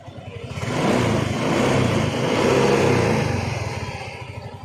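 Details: Yamaha Mio i125 scooter engine revs up, holds and drops back smoothly with an even beat and no knocking or rattle; the engine now runs clean, normal running.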